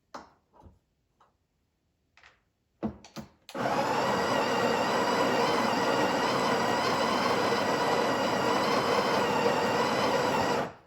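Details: Breville Barista Express BES870, used, serviced the day before with grinder realignment (internal mechanism changed as grind was too coarse), grind size six: a few clicks then steady even whir about seven seconds, no knocks or stalls; burr grinder normal.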